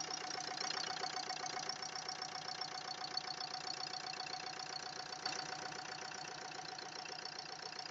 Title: VID 20130911 131109 Стук клапанов о поршень?